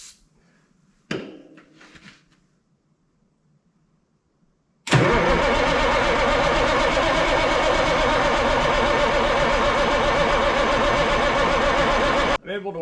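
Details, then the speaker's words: Ford cabover 14 L Big Cam Cummins diesel sitting 10+ years, fuel shutoff solenoid reconnected to prime fuel; slow cranking with haze from tailpipe, then loud rough roar on a squirt of starting fluid that cuts out; hard starting after storage. "it looked like there's a little bit of haze coming out the tailpipe so might be trying to get some fuel going I'll give it a little squirt of starting fluid see if that helps encourage"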